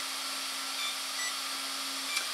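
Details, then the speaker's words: Beast X AR7200BX flybarless unit with HobbyWing ESC, before throttle calibration: constant thin electronic beeping on power-up, ESC in error mode with no throttle signal. "now you'll notice it's gonna power up my beast X and now we just have this annoying beeping sound right now"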